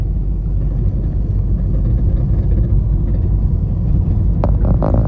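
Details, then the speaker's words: Ford EcoSport diesel after engine repair for engine noise and check-engine light, on test drive after about half an hour idling: low even rumble, no knocks, ticks or whine; earlier engine noise gone, some suspension noise remains. "ইঞ্জিনের sound শুনতে পাচ্ছেন একদম perfect. আগের মত করে কোন সাউন্ডও নেই।"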